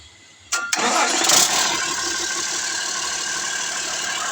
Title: Engine startup after OverHauling Cummins 6CTA Diesel Engine.